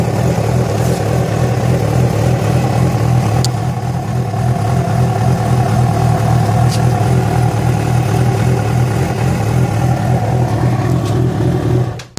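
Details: Yamaha FZ6 at idle, with abnormal engine noise that began after riding about 70 km on two cylinders because of a failed ignition coil connector: steady idle with an uneven tick or knock, about three or four a second; cause unclear.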